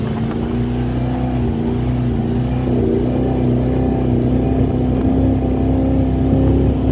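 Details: Baja H2X boat with Mercruiser 454 Magnum MPI V8 due for a tune-up, launching: big V8 pulls hard with a steady drone but the low beat stumbles unevenly under load; misfire suspected, cause not confirmed.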